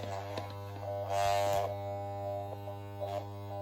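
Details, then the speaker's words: Hair clipper lubricated with deodorant instead of blade oil: loud, steady mains-rate buzz that roughens and rises as the blades load up; the owner says the clipper is breaking down. "Apologies for the noise of the clipper."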